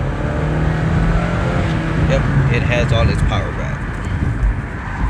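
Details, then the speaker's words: Chevy Malibu on test drive after P0016/P0017 cam timing repair, previously sluggish with no power: engine pulls cleanly under road noise, pitch climbing smoothly without hesitation, no check engine light; power restored, healthy. "yeah the engine sounds good it's running good no hiccups so far no checking delight"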